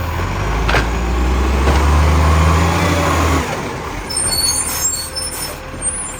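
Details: 2010 Tea Tree Gully garbage truck, diesel: loud chuffing in sharp, even puffs over three times a second with air brake hiss; exhaust leak.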